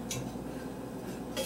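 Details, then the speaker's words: Antique Victor Junior fan, seized for years, freed after two nights of WD-40, shaft turned by hand: two sharp metallic clinks over low hum; owner suspects front bearing broke loose, needs replacing. "bearing probably, you know what, I bet you that's what happened. I bet the bearing itself broke free."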